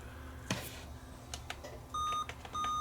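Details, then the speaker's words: Dell laptop with HDMI, on a Dell power supply, beeps repeatedly at power-on and won't boot; the owner counts five beeps, with meaning unknown, and suspects a dead CMOS battery. POST beep code, no boot. "beeping five times I don't know what five beeps means on this"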